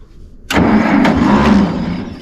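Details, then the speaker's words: Massey Ferguson 40 tractor woken up for mowing season, choked, battery suspected weak: starter cranks about two seconds with a few uneven chuffs but never catches; owner suspects it is out of fuel. "yeah I'm gonna say it's out of fuel no it's not good that means I gotta go to a gas station"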